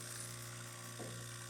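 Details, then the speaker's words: Jura Impressa C60 coffee machine after a full service and tune-up, automatic rinse on switch-off: steady low pump hum at even pitch with a brief gurgle and a click; normal rinse cycle. "rinses when you turn it off and clean itself. That's the sound I'm talking about, that click."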